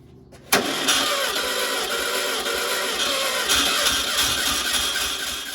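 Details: 1969 VW Karmann Ghia 1600 dual-port engine, on a stand after sitting for years, mileage unknown; starter spins it in uneven beats, about three a second, with no firing while starting fluid is tried and fuel seems absent; cranks but won't start.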